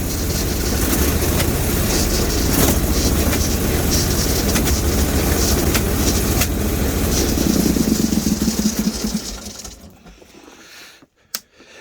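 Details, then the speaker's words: Bolens Hydro Eliminator mower, 20HP Briggs & Stratton V-twin, just got running, choke frozen, main ground suspect: uneven loping beat with occasional sharp pops, then engine dies away. Rough running with backfiring; owner suspects it may be running on one cylinder. "the odd backfire out of her. She's a little loopy. I hear a little scratchy noises coming from her. And backfiring."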